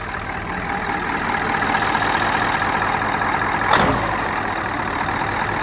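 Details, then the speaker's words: Rare old diesel semi truck just revived, running smooth once the injectors got worked up and down. Steady idle with an even clatter and no skipped beats, all cylinders pulling: normal idle. "No, dude. It's smooth. Once them injectors got used to being worked up and down that it's smooth ride up."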